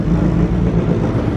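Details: Hot rod Honda Civic, first start after clogged fuel system fixed with new filters and pumps, two oil changes and new oil pressure gauge: steady low rumble, even beat, no knocks or rattles; oil pressure present, no leaks; normal idle.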